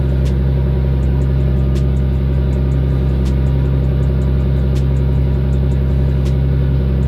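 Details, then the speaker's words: Nissan RB25 NEO engine at idle after closing the throttle plate adjustment: deep even rumble, no surging; high idle fixed. "But I am happy that I got the idle dialed in. Now it's not making that much noise."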